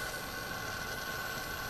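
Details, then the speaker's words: Sans Digital MobileRAID MR2UT+B (eSATA/USB 3) enclosure, switched on after sitting off for a while: a steady high-pitched whirr with a rough, gritty edge from the small cooling fan, which eventually smooths out; the fan bearing sounds like it is dying. "so this is what the sound of the fan sounds like when you turn it on after it's been off for a while"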